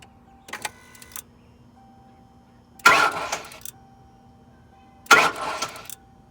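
Two short cranking bursts with a steady chime between them; the engine catches cleanly with no squeal or chirp from the belt drive.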